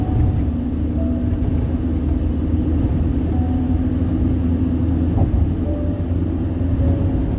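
Steady deep roar and rumble at cruising speed with no rhythm or knock; loud tire noise from the road surface.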